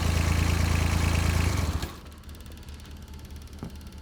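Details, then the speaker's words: John Deere 755 compact utility tractor, Yanmar 3TN diesel, just rebuilt, after fixing shield interference: even idle with steady low firing and light rattle from loose parts; sounds way better; normal idle. "yeah yeah that sounds way better already there just an interference from that Shield everything else is just stuff rattling"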